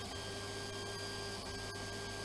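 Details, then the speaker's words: Anet A8 3D printer cooling fan, noisy from dust buildup: an even, steady whine with a few fixed high tones over a soft hiss; the noise fades after a while but will worsen; fix is cleaning with liquid grease. "Ses bir süre sonra geçiyor fakat bu ilerleyen zamanlarda daha kötü bir hale gelecek. Tecrübeyle sabit."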